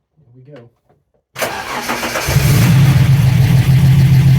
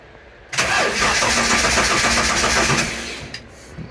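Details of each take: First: TVR after converting from TFI ignition to VAG/VW coil packs on MS2 (MegaSquirt): cranks briefly, catches cleanly and settles into a strong, even run with a steady low hum and no stumbles. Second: TVR with MegaSquirt MS2 ECU after conversion from TFI to VAG coil packs, fuel present, VR sensor mounting suspected: steady fast cranking with no catch, ECU showing no RPM trigger; cranks but will not start.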